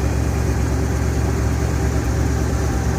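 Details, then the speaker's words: 1971 Ford F100 Explorer package, 302 V8, cold start: deep steady burble at even idle with no knocks, misses or ticks; runs like a top. Normal idle. "listen to that 302 engine per annoy got the new drill Fork find a different bumper yeah she's got the Explorer package all original paint runs like a top"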